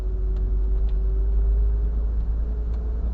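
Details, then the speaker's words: 1980 Triumph TR7 on a road drive, shifting from third at about 1500 rpm into second under load: faint steady gearbox whine over road and tyre noise, normal for this gearbox; original fuel pump suspected for running issues. "And uh yeah, nice whiny gearbox as"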